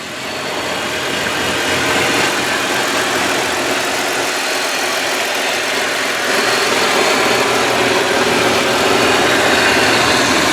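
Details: 2004 Kia Amanti V6 with 13,528 miles, engine cover on, recorded under the open hood: smooth, even hum with a steady quick beat and no knocks, ticks or misses. Normal idle.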